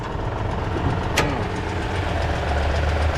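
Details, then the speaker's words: Toyota, possibly with a timing chain, idling with hood open: quick light clicking ticking over the low rumble, described as some valve train noise of some sort; source unconfirmed. "I'm hearing something clicking, clicking, ticking away on this uh Toyota. I think it's got a timing chain"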